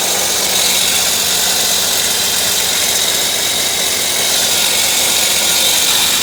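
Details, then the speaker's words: 1998 Volvo V90 at idle: steady high hissing metallic screech from the back of the engine top end, first straight metal-on-metal, changed after topping up low oil; owner suspects cam or valve, unconfirmed. "so it's definitely coming from somewhere back here uh originally when the noise was first happening it sounded like just straight metal on metal"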